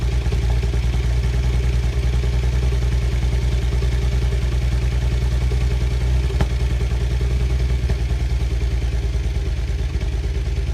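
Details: BMW Z4 35i with poor starting and a rough, lumpy cold-start idle with uneven chuffing misfire; dealer found injectors leaking fuel into the bores at rest after months of the fault, six injectors ordered under warranty.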